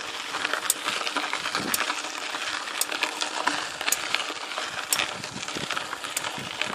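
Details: Mountain bike with Truvativ Firex crank and XT gears: sharp metallic tick about once a second, in time with each pedal turn, felt as a nudge under the right foot; crank bearing or pedal bearing suspected, unconfirmed.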